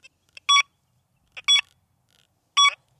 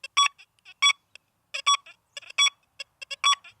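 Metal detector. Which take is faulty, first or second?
first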